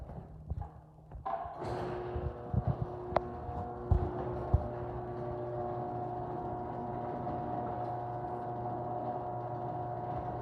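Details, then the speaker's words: Chamberlain garage door opener running the insulated door with foam padding added: a few knocks at the start, then a steady, even motor hum with no rattle, said to sound like today's chain drives. Runs smoothly and quietly. "so i don't know if you guys can hear the noise difference but this opener is starting to sound like today's chain drives"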